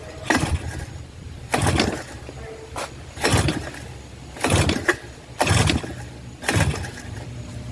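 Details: 1984 Suzuki LT50 two-stroke quad left sitting outside uncovered for years, first revival attempt: about six sharp pull-cord rips, roughly one every second and a half. The engine turns over but never fires; cranks but no start.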